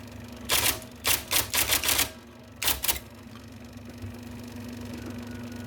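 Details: 1979 IBM Selectric II (non-correcting) typewriter, revived after fixing miswired plug, cleaning and lubricating: motor whir with crisp bursts of rapid, even key strikes and clean carriage motion between; healthy, normal typing operation.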